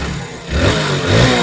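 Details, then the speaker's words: Hero Splendor BS6 new model after tappet (valve clearance) setting, 0.10 mm intake and exhaust, to cure heavy ticking: short clean rev blip with smooth rise and no tappet clatter; engine sounds like new. "Engine से थोड़ा भी झरझर आठ का आठ का noise नहीं आ रहा साउंड जो है नया जैसा हो गया"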